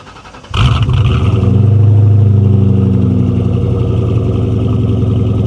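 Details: 1997 Mustang GT, 4.6 V8, 5-speed manual, previously jump-started and needing only a new intake manifold: it cranks and catches instantly, then a deep, even burble rises smoothly on the rev and settles steady; runs perfectly.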